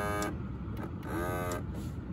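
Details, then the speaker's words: Lexus LS400 automatic tilt steering column: two short, strained gear whines from the tilt motor as it tries to lower the wheel but stays put; the motor is weak and worn, and the owner suspects worn, shifted gears needing a spacer. "we get that gear gear wine so it's the motor in here"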